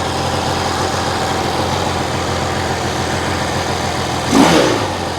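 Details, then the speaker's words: Vintage twin-cylinder motorcycle just kicked over from cold: it idles a little unevenly and lumpy, with a short blip of revs, then settles down and sounds pretty good, both cylinders warm. Rough idle after cold start. "Oh, stay with me. Oh, it's settling down. Sounds pretty good."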